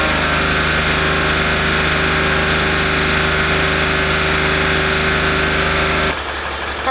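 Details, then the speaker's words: BMW Z4 that has a coolant leak and no cooling, idling after an oil change and some revs: a steady idle with a light, quick, slightly uneven tick that persists. Source unclear; owner plans a test drive. "I still hear it ticking sound so I'm not sure we just need to give her a drive"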